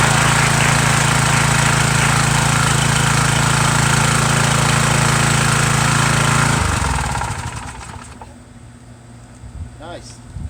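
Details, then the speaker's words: Small single-cylinder engine, little gas, throttle on turtle setting, owner unsure if something inside is broken: runs steady and even about six seconds, then shut off and coasts to silence; normal running. "but uh show you it actually runs see if i got gas in it first though there's a little bit in there put it on the turtle turtle setting here uh i'll show you here that runs now"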